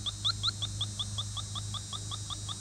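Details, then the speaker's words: 1988 Chevy Suburban R134a AC system, electronic refrigerant leak detector with air compressor running in background: rapid rising chirps about five a second over a low hum; detector alarming, needs recalibration, reset, really big leak indicated. "um and you'll hear that that whooping needs recalibrated let's hit the reset button yes we do have a really big leak somewhere"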